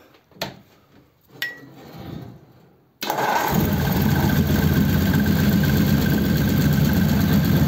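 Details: 1933 5-window coupe with worn "crusty" flathead engine, parked nearly 3 years, started via priming fuel pump: quiet cranking clicks, then it catches abruptly and settles into a steady, even idle with no stumbles; dual pipes with very short mufflers; normal idle.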